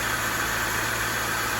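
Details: Acura RSX Type S with swapped K24 engine, left idling after first start while coolant is topped off and checked for leaks; smooth even idle with steady low hum, no ticks, knocks or stumbles; normal idle.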